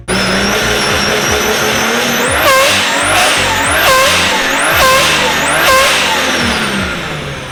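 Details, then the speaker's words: Turbo 1JZ coupe with blow-off valve removed and no clamps on the intercooler couplers, revving: rising whoosh and chirpy, balloon-like squeal as boost blows out the couplers; boost leak. "Oh yeah, it's blowing the boost out the couplers. It's so funny. That noise. No wonder why it sounds like a balloon when you go through it."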